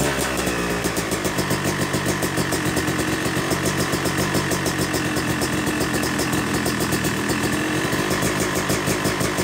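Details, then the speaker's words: Yamaha YZ250 two-stroke (250cc/270cc) freshly rebuilt engine, second start after cooling, warming to about 100–125 degrees during break-in: catches and settles into crisp regular idle, steady popping, no misfires; normal warm-up idle. "all right we've let it cool down now and we're gonna fire it up again and let it warm up to about 100 degrees 125 degrees or so"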